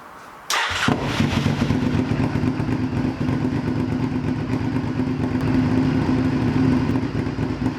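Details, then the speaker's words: Firestorm motorcycle with the exhaust just refitted, expected to sound like the owner's other good-running bike: catches with a thump and settles into a deep, steady, even throb with no knocks or rattles; normal idle. "it sounds bloody lovely"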